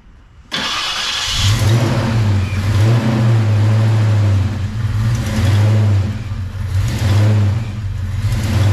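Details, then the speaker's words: V8 after cam work and oil change, fired up and warming: lumpy loping idle with throttle blips, no valvetrain tapping over the exhaust; valvetrain noise fixed, tune not yet adjusted. "all right guys that's it val train noise is fixed so there you go"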